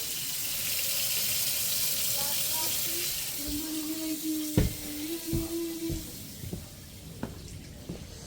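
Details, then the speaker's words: Kohler sink that was blocked in the trap, just after the clog seemed to let go by itself: water pours steadily into the basin, then thins to trickles and drips with no backing up; draining freely. "Did you hear the the sink rush like that? So, it was right here. Huh. That's a first."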